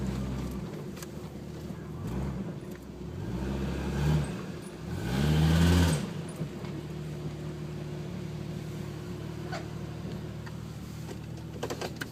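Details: 1996 Jeep Cherokee with a sporadic one-cylinder misfire at idle that spreads to all cylinders under load after a 10-minute heat soak. The idle hunts and surges. Wideband reads lean (15.3–15.5) when misfiring, fuel pressure falls from 45 to 15 psi after 25 minutes, code P0300.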